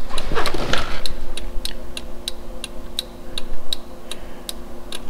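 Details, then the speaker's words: 2002 Toyota 4Runner after LED bulb conversion, turn-signal flasher adjusted by its screw from hyper flash: crisp, even ticks about every third of a second with a faint hum, now a normal flash rate. "sounds about right all right I think I got it i justed it just a tick more that feels normal"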